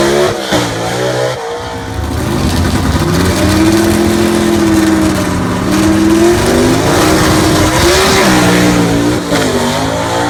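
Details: Southeast Gassers Association race car, freshly assembled and pre-run engine, track test passes at full throttle: loud rough exhaust note climbing in pitch through each pull, with tire and wind noise; normal engine under acceleration.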